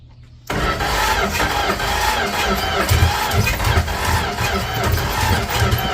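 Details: 1967-70 Dodge A108 van, 318 V8, three-on-the-tree manual, timing issues, after fuel poured in and timing turned: steady starter churn about two and a half compression beats a second, never catching; cranks but won't start.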